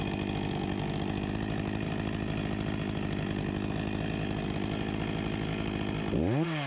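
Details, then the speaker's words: 1989 Husqvarna 254 G chainsaw after a fuel line replacement and carburetor refurbishment, idle set to about 3000 rpm: even, rapid two-stroke idle pops, then a throttle blip that climbs and drops cleanly. Normal idle. "I think idle should be around 2800 on this one, but I’m not sure. I’ll set it to 3000rpm Sounds like a good speed right about here"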